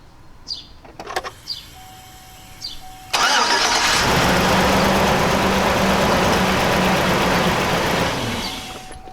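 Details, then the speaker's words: 2000–2006 GM Suburban V8 with P0300 misfire: cranks, catches and runs unevenly, shaking, down two cylinders; no spark at cylinder 8, coil or wire suspected. "camera it was shaking because the engine's shaking like crazy because but it because it's uh you know it's down two cylinders"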